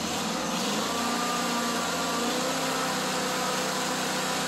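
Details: Kohler CV25S V-twin on an older Ferris mower, running after lifter and rocker reassembly, before warm-up and oil change: steady, even run at constant speed with no knocks or misses, just a smooth hum. Normal running.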